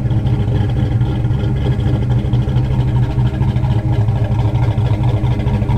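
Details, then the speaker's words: 1988 Ford Mustang Foxbody coupe after fixing coil wire and failed ignition switch harness; deep, steady rumble with even firing, no misses, knocks or ticks: normal idle. "So now I can finally give you guys that startup video that I was trying to do the other day. So I'll get the camera set up here, and we'll get this thing fired up so you can hear it."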